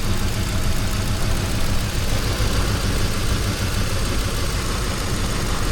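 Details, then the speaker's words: Ford 5.4 V8 at idle after customer-supplied parts; coils, injectors and cam sensors all connected: deep, rough, uneven idle with heavy shaking, a misfire. "Definitely a misfire. You see that thing shaking? Shaky shaky shaky."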